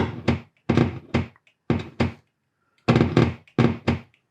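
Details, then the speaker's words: Vintage Ampeg V4 4x12 speaker cab after 4-pin to 1/4-inch jack conversion, 9-volt battery touched to patch cable for phase check: sharp dull paired thumps, clean cone pops; speakers respond properly. "I've got just a normal patch cable here and then 9-volt battery, and we're going to touch the terminals to the ground. And you can hear that pop."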